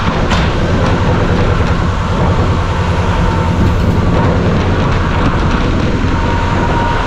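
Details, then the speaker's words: 1975 Chevy C10 Squarebody V8 on its first start after sitting 20 years, primed with a squirt of fuel. Deep, steady low rumble with no knocks or misses; it fired and idles fine. "That sounds good. So, what do you think? That was awesome. Good old girl. Fired up and she idled a little bit."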